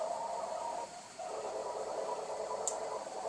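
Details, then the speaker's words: Tascam 32 reel-to-reel, recently re-capped power supply and new reed relays, winding with tape about 1/8 inch off the heads; faint muffled hiss and midrange murmur picked up on playback head; normal bleed-through. "And it is common to hear the bleed through. The tape is away from the heads, but you know there's about a 1/8 inch gap, so it picks up a little noise on the playback head."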